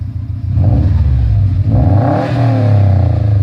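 Deep exhaust burble swells smoothly as the throttle is blipped and settles back, no knock or rattle; a healthy engine revving.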